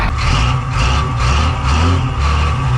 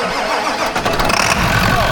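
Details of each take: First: 1985 Ford truck with Hino Japanese diesel, first start needing ether: old diesel idling with a rough, uneven knock about twice a second over a deep rumble; oil pressure light/gauge flickering, knocking with low oil pressure. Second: 1985 Ford truck with Hino Japanese diesel, no good battery connections: cranks briefly, catches quickly and settles into a steady, even idle with no smoke; normal start and idle.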